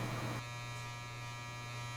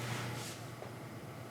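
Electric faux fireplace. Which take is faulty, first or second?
first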